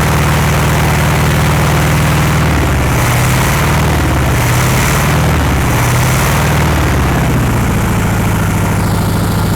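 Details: 1960s VW Beetle 1500 air-cooled flat-four petrol, unstarted since 1973, 8000 miles, first run after storage: steady even beat with speed wandering slightly; firing on all cylinders and running fine.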